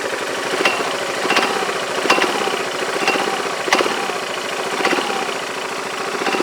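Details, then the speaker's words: Yamaha Majesty scooter idling at about 1100-1200 rpm: metallic clank about every 0.7 s over a busy idle, clutch shoes striking the bell; owner unsure if normal, suspects the roller weights, clutch or belt slap. "it's like metal-on-metal but that sounds like smelling metal-to-metal what does normal I don't know I don't that's normal or not but that's the noise I hear"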